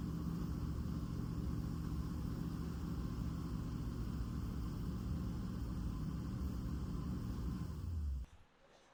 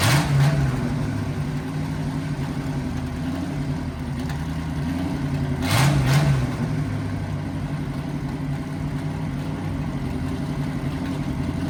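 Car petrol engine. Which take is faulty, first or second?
second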